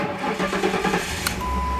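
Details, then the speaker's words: 2006 Ford Crown Victoria ex-police car, 4.6L Romeo V8, 4R75E transmission, 106,975 miles, no key (non-PATS): short starter whir, quick catch and steady even idle; engine runs great, no issues. "this is the non-pass lock system, so it will run without a security system. Engine runs great, no issues."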